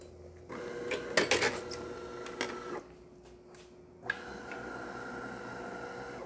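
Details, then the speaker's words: DeLonghi PrimaDonna Exclusive 220V espresso machine making a cappuccino: the transmission drives the infuser up and down with two even motor whirs and a few clicks between, no straining, grinding or errors. Normal brew unit cycling. "As you can hear, the transmission goes up and the infuser goes up and down by the transmission, and it's not having any errors or anything like that."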